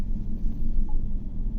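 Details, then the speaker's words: GMC Yukon (2015 per mechanic, 2018 per description) with a blinking check-engine light, at idle: deep, uneven, lumpy rumble. Misfire P0300 on cylinder 6 with injector code P124D. The code did not re-set after clearing; injector fault suspected, wiring to be checked. "Fault code raise नहीं हो रहा, इसका क्या मतलब है, हमारा प्रेजेंट हालत में फॉल्ट है और हमें इसकी वायरिंग की तसल्ली करनी पड़ेगी और इसका इंजेक्टर चेक करना पड़ेगा। जहाँ तक मेरे को लग रहा है इसके इंजेक्टर का फॉल्ट है।"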